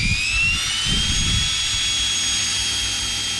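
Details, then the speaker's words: Electrolux EWF771 7 kg front-load washer, repaired for a motor that would not turn, run in spin mode: smooth rising whine as the drum spins up with no grinding or rumble; the drum bearings are still in good shape. "ถือว่าตัวลูกปืนถังยังแจ่มเลย"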